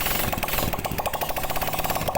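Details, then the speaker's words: Yamaha Vega ZR motorcycle, first start after replacing the piston and honed cylinder block to cure smoky exhaust: quick even popping about eleven beats a second, no knock or miss; small single idles steady and clean. "Kemudian kita coba hidupkan sepeda motornya untuk mengecek apakahnya naik."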